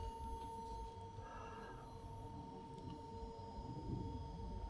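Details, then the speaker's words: Blazecore/Hcalory 8kW all-in-one diesel heater at start-up, mic held close: steady even hum with soft fan rush, no knocks or rattles, purging normally as it pulls diesel through before any heat. "So, that's now powered on. I don't know if you can hear that. I'll take my microphone a little bit closer. That's just now purging. So, it's going to send the diesel through, the fuel through."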